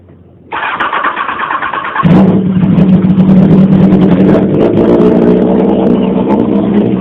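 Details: 2001 Honda CBR929RR with Black Widow stainless/titanium exhaust, tuned without a muffler, before an oil change; starter whir, then it catches and settles into a loud, raspy, steady open-pipe idle; normal cold start.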